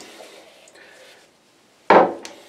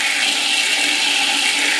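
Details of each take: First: Backed-up toilet on septic line after repeated filling and plunging, steady rush of water with low gurgle deep in drain as level rises and falls; partially clogged line clearing, water going down. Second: Previously backed-up toilet on a septic line, after plunging, water rushing down evenly with no backup; toilet draining normally, line nearly clear.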